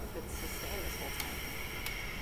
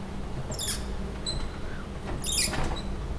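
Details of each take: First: MEC cryostat opened after five years on Mauna Kea and shipping back from Hawaii: a steady hiss as the vacuum is cracked and air flows into the fridge, showing the vacuum had held until it was vented. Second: MEC cryostat exoplanet camera, opened after five years on Mauna Kea: sharp high squeaks in short bursts about every 1.5 s as the shield slides down; the RF gasket, meant to seal against electromagnetic radiation, drags and squeaks.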